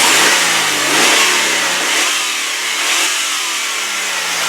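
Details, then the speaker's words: 2001 Subaru Forester AWD, 2.5-liter boxer four-cylinder with no head gasket leakage, no overheating and a new belt, revved up: rises and falls cleanly with a smooth, even note, no valve train noise or high-rev knock. "Now, you don't have to be a mechanic to know that that sounds great. There's no valve train noise. There's no high rev knock."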